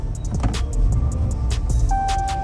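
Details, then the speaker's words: Rebuilt 2019 Dodge Challenger after new battery install, ABS and traction lights on: engine holds a low flat rumble with no pitch rise at full throttle, refusing to rev. "You see? That's all it revs right there. I'm hitting full throttle."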